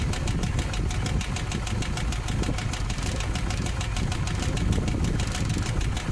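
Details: '58 car with a newly fitted exhaust system, at idle: a sharp, steady tick of about five per second over an even idle; owner suspects a manifold or flange exhaust leak, but listening has not located it.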